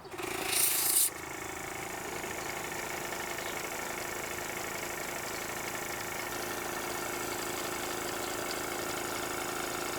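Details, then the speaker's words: Live steam model loco 'Russell' (16mm scale, O gauge) run on compressed air, axle pump now pumping into the boiler with the valve closed: after a short hiss, a soft even ticking at about four beats a second; the pump works normally. "so you can hear it rattling a little bit more as it pumps against the pump cuz it works against the pump"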